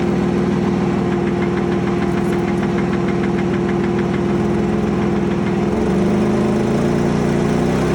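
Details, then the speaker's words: Porsche Boxster 987S engine while driving: fast, fairly regular tapping about three per second over the engine drone, appeared days after purchase and worsened over four miles; internal knock, cause not yet found. "and this final issue on the Porsche is every Porsche owner's worst nightmare um it actually happened a while ago it was after four or five days of me owning the car I was driving along on a summer's afternoon and then I heard this noise"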